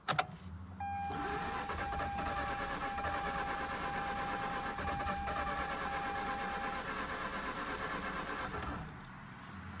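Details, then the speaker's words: Mazda RX-8 rotary after overheating and coolant loss: starter spins steadily about eight seconds but never fires, crank no-start; owner suspects low compression and plans to add oil into the spark plug holes. "no come on so well it seems like it's so close [Music] i can't help but think it's low compression"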